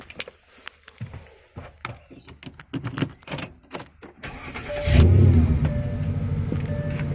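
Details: Porsche Cayenne S, first start after a rebuilt starter motor was refitted: clicks, then the starter catches quickly and the engine settles into a steady even idle; clean start.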